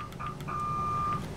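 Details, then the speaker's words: Drake 2-NT novice tube transmitter after electrolytic capacitor replacement, first power-up, tuned to full 70 watts out; clean steady tone heard through a 75A4 receiver over low hum; meters working, normal transmitted signal. "and as you can see the meters are working and the indicator light for power out and also too in the background on my 75 a4 you can hear the audio out"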